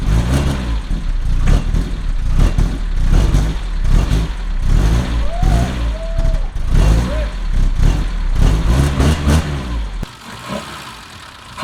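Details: BMW with M10 engine after 1.5 years not running, first start after starter fluid suggested: rough uneven running with irregular knocks about once a second while revving; knocking, cause unknown.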